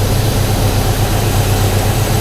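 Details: 1991 Ford Foxbody Mustang 5.0 LX V8 ("Red Chief"), cold start in the 30s °F after winter storage since October with a dead battery swapped out; deep, steady burble, even beat, no ticks or misfires, healthy engine warming up.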